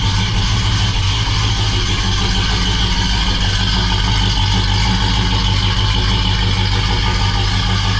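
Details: Freshly rebuilt 350 V8 in a 1969 Oldsmobile Cutlass, first start, after cam break-in: a steady, even idle with a mild lope from a mild cam, no knocks or ticks; sounds healthy.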